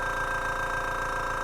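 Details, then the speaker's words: Small Spraygunner airbrush air compressor running: steady, even motor hum with fast regular pulsing and no knocks or rattles. It cuts out at 57 psi and kicks back on at 43 psi; normal operation. "40 pounds it kicks back on actually i think it's 43 okay yeah so it's stops off at 57 pounds and it starts back up at 43 pounds"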